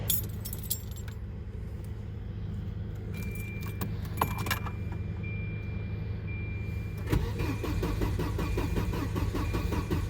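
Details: Old Volvo 940 turbo wagon that stranded its owner on the road shortly after a full brake replacement: keys rattle, the starter churns unevenly and it never fires, with no fuel pump hum beforehand; crank no start from a failed fuel pump.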